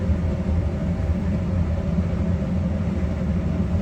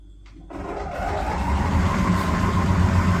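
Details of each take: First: Electrolux PerfectCare 800 EW8H458BP tumble dryer, 6 years of heavy use, after drum roller replacement: low, even drum rumble, the earlier loud noise and uneven jumping, knocking drum gone; runs smoothly and quietly, like new. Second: Electrolux PerfectCare 800 EW8H458BP heat-pump dryer after six years: low droning rumble builds as drum spins up, fading after a minute or two but getting louder over time; worn drum support rollers, replaced.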